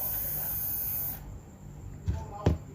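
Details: RC servo motor with replaced brushes, not jammed or died since the change: about a second of thin, steady high whine running evenly, then stops with a couple of soft bumps; healthy normal running.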